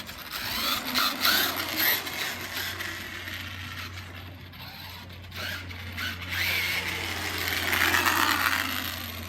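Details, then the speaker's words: DHK Maximus 1/8 brushless RC truck after front differential gearbox replacement, driveway test at about 91°F: motor whirs up and down with throttle over gravel crunch, no clicking or grinding from gears; running normally. "So yeah, let's do a little test run in my driveway because it's burning hot outside. It's like 91 degrees outside. And if I bash this thing, it's probably gonna overheat and something's gonna melt. Sounds really smooth."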